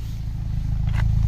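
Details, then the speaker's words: Mini Cooper diesel idling after about 40 minutes of driving to clear a clogged DPF/catalyst with a DPF cleaning product; no warning light, temperature stable, no smoke; steady even low idle without hunting, normal idle. "Le bruit, il y a une différence. Je trouve sûrement il a fait quelque chose. Là, le ralenti est stable."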